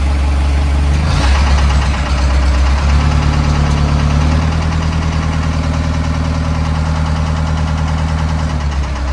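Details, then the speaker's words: Rebuilt Kubota V2203 diesel repowering CL45 skid steer, first run: rough idle with uneven knocking rattle about three times a second over heavy drone; owner suspects bearing damage from long cranking; alternator not charging. "Doesn't sound too good. All right, well, something's bad rattling in the engine. Definitely doesn't sound good."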